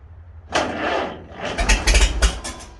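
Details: 1949 Farmall H gas tractor needing an engine rebuild, startup: rough low rumble with sharp, irregular pops.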